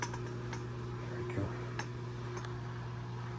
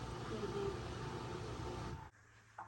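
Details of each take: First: Asko W2084 washer, after dealing with the motor found damaged with debris (complaint: not draining, not advancing to next step): steady low hum, smooth even drone, no knocking or scraping; running normally. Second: Asko W2084 washer (complaint: not draining, not advancing to next step) stalls in its final spin: a steady humming roar, then a funny hum at the end before it cuts out abruptly to a faint drone, failing to reach full spin; timer stuck.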